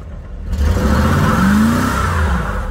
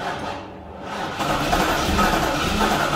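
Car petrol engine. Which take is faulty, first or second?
second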